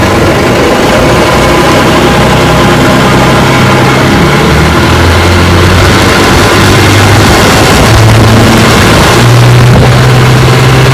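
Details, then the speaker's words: Rebuilt 1959 Evinrude 18 hp fast twin two-stroke outboard, warm after about 15 minutes of running; the cooling problem looks fixed. Loud, steady drone with even firing around four pulses a second and clean pitch rises on throttle. Normal running. "Looks like the cooling problem's fixed. And then watching the cooling, been running about 15 minutes so far, and she's running good."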